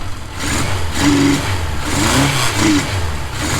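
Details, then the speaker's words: 1977 Suzuki GS550 café racer, start after carb cleaning and rebuild, having sat for years: even four-cylinder burble swelling with quick revs and settling cleanly, running super smooth; normal running. "Look at that. It is running super smooth. I mean, it's actually running great."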